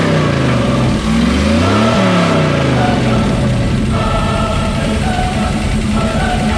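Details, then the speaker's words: Square-body Chevy Suburban big V8 on a known-good carburetor with vacuum ports plugged revs up and settles to a mostly steady run, slight idle unevenness; owner thinks idle circuit needs work, likely carburetor, suspects crud in old carb. "I got the thing to fire off and it sounds like it's running pretty good I mean could use some work in the idle circuit but that's probably the carburetor"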